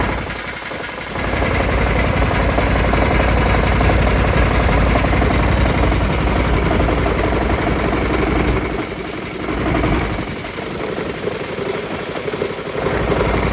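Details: Kawasaki FH531V-BS06 18 HP mower engine running: loud rough running with a hard, rapid knock about four a second, shaking and clattering, also leaking oil; owner suspects a bent crankshaft, unconfirmed.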